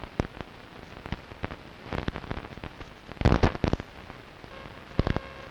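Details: Strange noise on long wave radio, recorded 0134 UTC 06.06.2012 with DSL modem and router off, not from the home: irregular sharp crackles and pops over low hiss, dense burst near the middle; interference of unknown origin.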